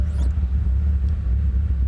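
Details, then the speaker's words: Bentley Continental GT W12 just after start: a deep, lumpy idle with an uneven throb and the car shaking, not firing on all cylinders. "car is shaking and it doesn't seem like it's running on all the cylinders that does not sound good it does not sound Bentley like"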